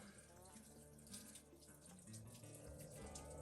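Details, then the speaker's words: 1967 Chevy G10 flat-face van being filled with coolant concentrate: quiet, steady trickle of coolant running out and splashing; the leak comes from the block heater (frost) plug, which needs replacing. "It's coming out the block heater plug. That isn't the end of the world."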